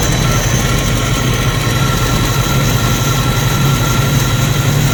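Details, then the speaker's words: 1990 Jeep YJ 4.2L inline-six carbureted, 5-speed, cold, just started after new carburetor fitted; steady even low rumble, no misses, knocks or hunting; normal idle, better than before, carb still needs adjusting. "Well, it's running better than it did before. So that's a plus."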